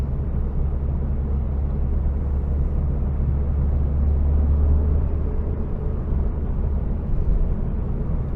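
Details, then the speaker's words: SAAB with newly built engine on break-in drive, warm at operating temperature with thermostat holding mid-range, after an earlier high idle settled: low, smooth, even rumble with no knocks, ticks or misses, running perfectly calm. "it all just settles down now the engine is running like perfectly and really calm"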